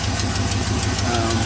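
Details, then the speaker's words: Truck with 6.0 diesel, 183,000 miles, apparently sat for a couple of years, idling on a new battery: quick regular tapping about six times a second over a rough idle; owner notes a pulley issue, thinks the AT is frozen and suspects an exhaust leak. "pretty sure the at um is frozen fully frozen but think a little bit of an exhaust leak down there"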